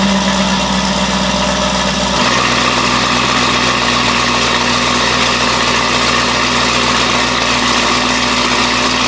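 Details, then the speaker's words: Camaro V8, fresh cold start: deep, steady idle that settles slightly lower after a couple of seconds, even and strong with no knocks or misses. "so i figured since the car's back we'll throw it in a video of a fresh cold startup so let's see what it sounds like [Music]"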